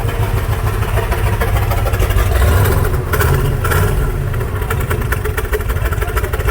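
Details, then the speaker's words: 1996 Jeep Grand Cherokee 5.2 V8, recorded at the exhaust as it warms up: uneven swells with the pickup sagging and stumbling. Throttle hesitation worsens when warm despite a new IAC and crank sensor and the cat removed; slight misfire noted, cause unconfirmed. "yeah a little bit of hesitation a little bit of hesitation running exactly the same as it warms up the hesitation gets the throttle hesitation gets worse"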